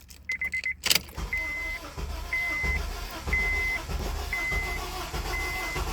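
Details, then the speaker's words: 2003 Honda Accord, no codes in immobilizer or PCM, fuel pump priming: steady cranking under repeating warning chime, no catch or firing; sounds like no compression, won't start; plugs to be checked. "I'm like well why does the car sound like it has no compression and it's not starting on top of this"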